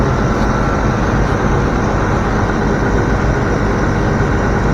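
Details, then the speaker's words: Land Rover Discovery 3/4 air suspension compressor (eBay replacement) bench-tested before install: steady, even low drone with no knocks, surging or rattles; compressor runs smoothly and sounds healthy. "So, let's see. That's kind of like Sounds like it's running."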